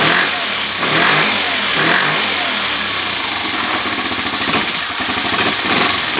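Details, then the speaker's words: 2013 Kawasaki KFX 50 quad after refitting air cleaner, carburetor being tuned: small engine idles unevenly, beat and loudness surging, won't hold a steady idle; owner plans to raise carb needle one slot. "yeah you can hear it i don't know if you can see it okay are you even paying attention you can hear it here it goes so it doesn't want to idle very good"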